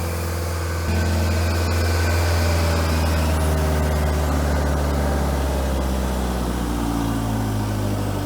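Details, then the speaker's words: Kubota 49 hp diesel on air compressor, warmed up: steady, even fast-idle drone with no knocks or misses, idling down after coming up to temperature; belts may need dressing or tightening, otherwise runs sweet. "well there we go it's idling down for us nice so it took a little while probably had to come up the temperature but now it's idled down and if we kick open that valve it should throttle back up"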